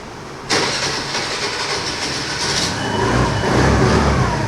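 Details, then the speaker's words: 2020 TVS Jupiter BS6 scooter, unused for three days, new battery fitted, engine check light on: the starter whirs and the engine catches about two seconds then dies, also stalling when throttle is applied. It starts then stalls, cause unknown. "Start అవుతుంది ఆగిపోయింది. Just start అవుతుంది ఆగిపోతుంది"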